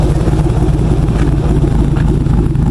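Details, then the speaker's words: Jeep JK Wrangler with 480 hp Corvette LS3 swap, cam, idle set about 750 RPM, few hundred miles: deep, choppy V8 idle with a lumpy cam lope, steady and even with no knocks; healthy running engine. "sound like a racer you can hear that cam we got it set for about 750 RPM we tried going lower but started to lose intake manifold vacuum"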